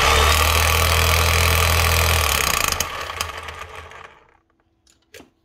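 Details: Kango 900 hammer after the switch was checked and the brushes were refitted: the motor runs steady with a fast, even pulse, then winds down smoothly to a stop; it sounds healthy.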